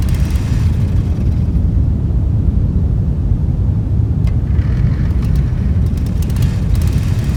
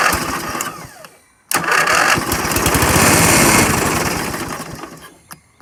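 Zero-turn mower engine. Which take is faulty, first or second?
first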